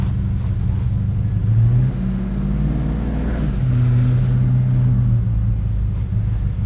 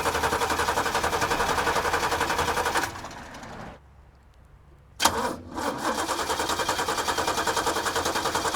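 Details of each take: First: 1986 Chevrolet six-door square body pickup, carbureted, after fixing vapor lock with a three-port fuel filter: deep, even engine drone while cruising, quieter than before, no knocks, misses or rattles, no longer shaking the cab; running normally. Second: Carbureted 1986 Chevrolet six-door square-body pickup plagued by vapor lock: even starter cranking stops and resumes but never catches, as the used fuel pump won't pick up fuel and the battery is dying; crank, no start from fuel starvation.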